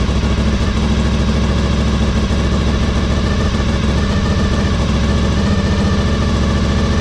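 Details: 2003 Honda RC51 SP2 V-twin, warming up after a coolant refill with the airbox and sensors reconnected. Loud, lumpy idle with a sharp puffing tick on each firing pulse. Exhaust leak where the pipe joins the rear-cylinder manifold; owner plans to fix it.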